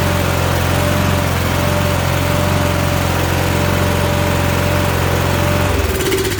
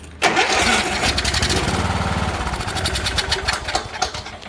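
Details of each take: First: Troy-Bilt riding mower with Kohler Courage single-cylinder engine, after turns-over-no-start fix (carburetor fuel solenoid disabled): runs steady and even for about six seconds, then shuts off and coasts down; healthy running. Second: Troy-Bilt riding mower with Kohler Courage engine, turns over but won't start: cranks, fires briefly on brake cleaner sprayed into the carburetor throat, then dies; compression and spark present, so a fuel issue.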